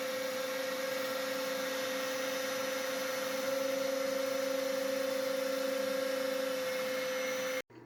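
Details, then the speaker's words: New 5 hp spindle on a heavier-duty plate on a CNC router table, with the shop vac running; clean, steady high whine over an even vacuum rush for seven seconds, then off. Spindle got lukewarm, then stopped warming; runs normally. "looks like everything is working good with the new spindle at first i was getting a little concerned about how warm it was getting but it stopped getting any warmer"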